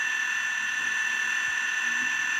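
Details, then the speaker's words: Athearn DD40 model loco, dual 24 V five-pole motors, DCC sound, homemade driveshafts, running very slowly: constant high-pitched whine with gritty hiss; drivetrain loud, factory driveshafts replaced as too noisy. "uh it's not too bad considering it's an old a the drivetrain is a little bit loud"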